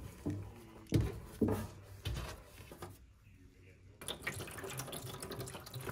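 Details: GE washing machine that had lights on but would not take water: a few knocks from handling, then a quiet, steady hiss of water running into the tub; washer filling normally.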